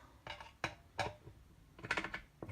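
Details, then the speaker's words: BSA A70L front drum brake during fitting: sharp, separate metallic clicks in small bursts as the adjuster is turned via the hub inspection hole; ratchet catching cleanly, working normally. "and you can hear it clicking against its ratchet and I'll show you how to adjust these properly when we're on the bike"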